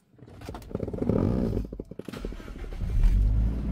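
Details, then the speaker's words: 2016 Toyota Innova 2.0 with 191,000 km: brief cranking, then it catches and settles into a steady, even idle; normal start and idle. "Oke gak ada masalah"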